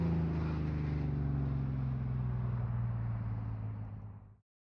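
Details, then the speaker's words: Jeep Wrangler Rubicon 4.0L inline-six after top-end rebuild (head gasket, intake and exhaust manifolds, injectors, fuel rail, new Y-pipe, new fan): deep, even loud exhaust drone with steady pulses, then clean shutdown; runs smoothly. "so we're gonna fire it up here in a second after we check everything and uh it's gonna be loud but that's how we like it"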